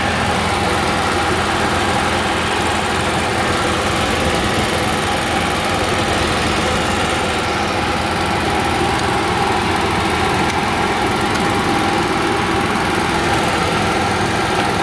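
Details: Onan QG 5.5 generator started after priming: a constant, even hum with no hunting or stumbling, steady warm-up idle.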